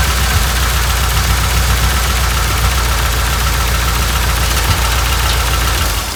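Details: 1988 Dodge Ram W150 4x4 V8 with TBI injection, first run after long storage with the fuel gauge below empty. Loud, steady rumble with a faint rhythmic tapping on top; runs smoothly, noise normal for this engine, fuel pump working.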